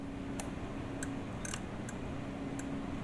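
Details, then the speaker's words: 1980 Honda Goldwing GL1100 with right turn signal staying on: light crisp relay clicks about every half second over a steady hum show the blinker relay works, so the right rear bulb (Stanley 1073 12V23W) is burnt out. "and so that ticking sound from the relay is how we know that the relay does not need to be replaced"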